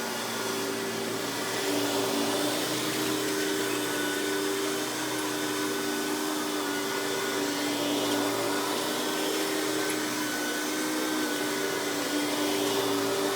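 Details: Hoover PowerMax Supreme 850 S3609 1990s canister vacuum, non-original hose, on high speed with power brush running: steady even motor roar and constant whine, no surging, rattles or catches; runs very smooth, not the quietest canister; normal running.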